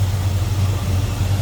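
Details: 1972 Chevrolet C10 with rebuilt 350 V8 and TH350 automatic, idling with hood open: deep, even burble with a steady beat and no ticks, knocks or misfires; smooth, healthy V8, normal idle.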